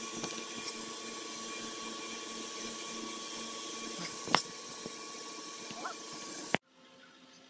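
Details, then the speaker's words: Mercury Grand Marquis under the hood after air suspension compressor replacement, engine running: steady even electric hum with whining buzz that cuts off cleanly, no awful noise; normal air suspension compressor operation, ride height restored. "I don't know if y'all can pick that up on the camera but that thing is running I can hear it be able to hear that thing in the car but it is working"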